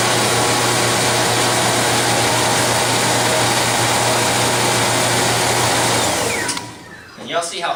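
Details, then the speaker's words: Rotary power transfer trainer, electric motor driving V-belt and chain drives powering lights: steady whine and drive rumble, straining as lights switch on, then abruptly shuts down and spins down from overload. "see how fast that turned off? It's got such a load trying to power all these lights that it just shuts down immediately."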